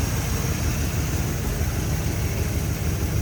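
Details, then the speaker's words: 1961 Chevrolet Bel Air, 283 V8 with recently remanufactured Turbo 350 automatic, hood open: steady, even low idle rumble with no motor noise, ticking, tapping or exhaust leaks; smooth and healthy. "i said sounds good listen to what you don't hear you don't hear any motor noise exhaust leaks in like that"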